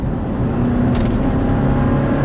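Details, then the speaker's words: 2006 Subaru Baja 4EAT automatic transmission cruising about 40–45 then accelerating: dull clunk, then engine pitch wavers as it hunts between gears, worse at highway speed; fix is replacing valve body solenoids. "It clunked. It picked a gear. Then it played around with it and it picked a different gear and it gets really bad at highway speed."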